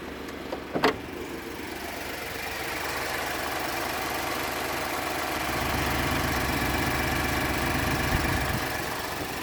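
Cold-start idle sounds lumpy and unsteady, with an uneven pulse and hiss over the engine note: a rough idle, cause not yet clear.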